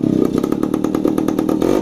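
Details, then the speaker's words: Kawasaki HD-III single-cylinder motorcycle, fitted to its sidecar after an overhaul, now runs quietly: a steady single-cylinder thump of about seven beats a second, even and crisp with no clatter or misses. Ready to use. "Yan. Ayos na mga kamiganiko. Pwede na itong gamitin kasi hindi naman natin pinaribor."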